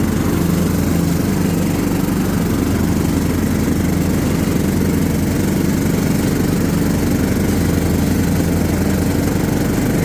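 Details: John Deere LT150 mower with replacement 15 HP Kohler engine, freshly swapped and mowing grass: steady, deep thrum at even speed, no knock, miss or surging; pulls the load fine.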